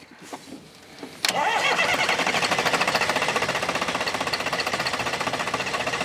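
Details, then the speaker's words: Old sawmill wheel loader diesel that sat 20 years, cranking over steadily at about four beats a second with no catch or firing; a lot of air in the fuel system, injectors not yet getting fuel, just starting to reach one. "We're getting some to the other one now. All right. Yeah, it just got a lot of air in it, I guess, huh?"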